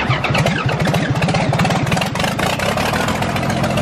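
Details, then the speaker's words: John Deere 4040 diesel tractor that sat for years: it cranks with a steady chugging beat for a couple of seconds, then catches rough and slow to fire. It was a hard start. "let's see if it starts with the key and maybe power steering works no she wants a little bit of Go Go Juice"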